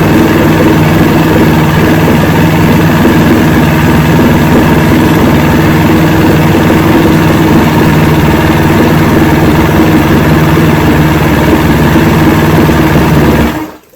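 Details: 1970 Evinrude 85hp outboard with hydroelectric shift, about 50 years old, new water pump impeller, running on a water container. Steady, even low idle burble with no misses or knocks, then a clean shutoff; carburetors seem good at idle.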